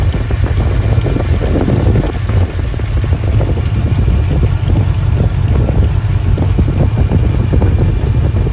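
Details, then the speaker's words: 1983 Capri V8 with factory cast exhaust manifolds, apparently no gasket, idling: deep rumble with rapid uneven puffing tick; air felt blowing hot at the manifold, exhaust manifold leak, later welded shut. "See that right there? There's actually I can feel the air blowing out of that guy. Yeah, it's hot right there."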